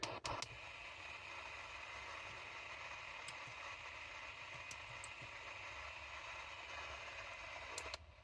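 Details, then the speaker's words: Sony ICF-2001 radio under repair, AM band near 980 kHz: steady hiss of static that drops sharply when the LED backlight is switched off; electrical interference from the backlight. "yeah if I kill the the LED light which is here I the noise level drops"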